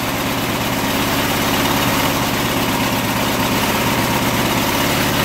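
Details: Small single-cylinder test mower engine running on old car wax instead of oil, near the 7-minute mark of a 10-minute run; rough, uneven, straining idle. Compression afterward almost none, and the owner suspects hardened wax in the piston rings and valves.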